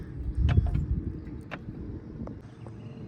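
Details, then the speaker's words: Sharp, irregular clicks over a low rumble from the prop on a 1989 boat with an OMC Cobra drive. Reverse is not fully engaging though it should be locked, while forward engages fine; shift misadjustment suspected. "when we put the boat in Reverse like I'm going to do now and you come back to the prop it's not fully engaging interverse should be locked right now and you can hear that"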